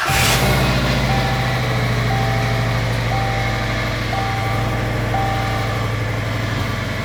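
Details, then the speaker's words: About 2001 Subaru Outback, first run after swapping crossed fuel lines, exhaust not fully fitted: loud even engine drone with faint whine on top; engine running great at idle, power steering pump whining, lots of smoke. "Engine's running great. The power steering pump is whining."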